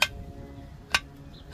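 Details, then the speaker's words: 2003 Toyota Camry 3.0 with a loud metal-on-metal clunk on stop-and-go and when turning: the removed lower control arm ball joint gives three sharp metallic clicks when rocked by hand. It seems out of grease and worn, with the driver side worse. "Entonces yo pienso que aquí va a estar la falla, ya que esto no debe de sonar así. Ah, como que ya se le acabó la grasa y ya está puro metal con metal."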